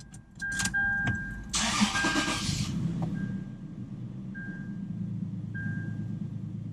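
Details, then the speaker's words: Toyota 4Runner after sitting overnight, cylinder 4 misfire code (also P0446 EVAP fault), check engine light flashing: cranks and catches, idle stumbles unevenly with a dash chime beeping, then calms; cold-start misfire, owner questions head gasket. "yeah we got we still got that misfire yup it's still there and it calms down so that's how it is and the check engine flashes"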